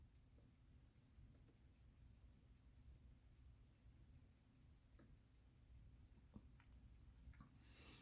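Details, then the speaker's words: Illinois Bunn Special pocket watch, not fully wound, amplitude over 300: quiet, crisp, perfectly even tick about five beats a second with nothing dragging between beats; healthy running. "if y'all can hear my watch in the background that is my bun special taking away boy she is a beauty"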